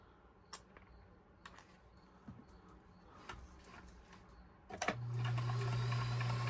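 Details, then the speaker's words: Kenmore 158-1941 sewing machine after cleaning and oiling: runs with a steady, even low hum and no knocks or rattles, moving smoother; a squeak was still being traced; normal running. "But as you can hear, this is moving a lot nicer. What I was doing is looking at this area here. I'm already loving how smooth and pretty that sounds."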